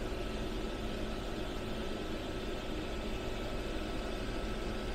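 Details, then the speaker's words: Modspioneers 24V DC 11000 BTU RV rooftop air conditioner, compressor back on after lowering setpoint, drawing about 245-257 W: quiet steady low hum with even airy rush, no rattles or cycling; running smoothly and normally. "So I think we need to turn the temperature down. Okay, there we go. I hear the compressor coming back on."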